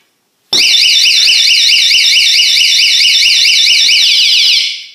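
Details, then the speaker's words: Techko model S184S door alarm mounted on a window, tripped by a kick or punch to the glass: loud shrill warbling siren sweeping roughly 3-6 kHz, starting abruptly and holding steady; shock alarm sounding. "So if anyone were to kick this window, this alarm would sound."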